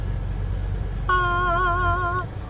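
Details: 2010 Jeep Compass, engine running, after repairing the blend door actuator whose gear had missing teeth and caused ticking: switching cold to hot gives a smooth one-second motor hum with no clicking, normal operation.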